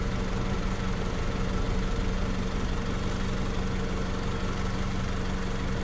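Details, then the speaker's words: 2003 Honda Civic LX idling after battery replacement (Group 51) and a rev: steady low hum, even pulse, no knocking or squeal; charging at 14.6–14.61 V, alternator working normally. "so we're sitting here idling now after it revved up it's 14.6 14.61 so I think that's good seems like the alternator is doing its job"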